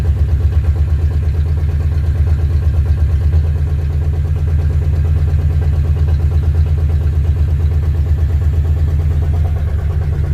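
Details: Ford Fairlane V8 after engine install, earlier noise cured by fixing a worn distributor gear mismatch; fast even idle, deep steady burble, lowest the poor carburetor allows, no knocks or ticks; owner suspects stuck thermostat, getting hot.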